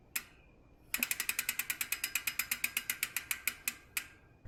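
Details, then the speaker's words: 2024 YT Decoy Core 4 e-mountain bike after 100 miles: crisp, evenly spaced rear hub ticks, roughly eight per second while freewheeling; normal low-engagement freehub pawl clicking, which owner dislikes. "I don't like low engagement hubs the difference between a low engagement Hub and a high engagement Hub to me makes it difference between pedal striking and not pedal"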